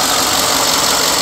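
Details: 2011 Ford F-150 XLT, 5.0 V8, about 38,510 km: smooth, even hum and fan rush with hood open, no ticks, knocks or misses; seller reports occasional catalytic converter code; normal idle.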